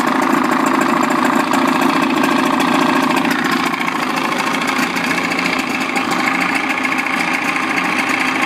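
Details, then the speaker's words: Old Evinrude 55 outboard idling in neutral in a water tank after throttle cable adjustment: steady, even, smooth burble with no knocks or misses; idle sounds fine. "So every time the engine's in the water and you hear the idle and it's idling, that's okay."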